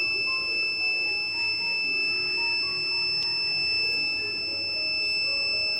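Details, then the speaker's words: Kent Grand RO water purifier: the red light is lit and an unbroken high-pitched beep sounds. This is the filter-change alarm, and the purifier stops working. Reset by holding the small black button below the red light for 60 seconds. "So filter ఇలా red light వెలిగి కంటిన్యూగా beep sound వస్తుంటే దాన్ని ఎలా reset చేసుకోవాలి అనేది ఇప్పుడు నేను చూపిస్తాను."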